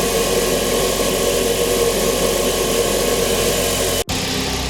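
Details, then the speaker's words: Mitsubishi Lancer Evo 9 at idle after a Mishimoto intercooler pipe kit install: a steady odd hiss and hum from the intake, with injector ticking also noted. The owner suspects that unplugging the brake booster let it suck in air while rebuilding vacuum. The noise later went away. "noises have gone away so the intake was making like a real weird noise but the only thing i can think of is that because we unplugged the brake booster once maybe it was just building vacuum again"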